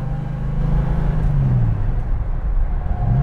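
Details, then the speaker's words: 1968 Dodge Coronet R/T 4-speed with rebuilt 440 V8, test drive shifting through the gears into fourth: steady low drone, pitch rising and dropping cleanly, no whine, grind or clunk; transmission perfect, clutch good. "and now we're gonna void the fourth there we are amp transmissions perfect clutch is good we're all set"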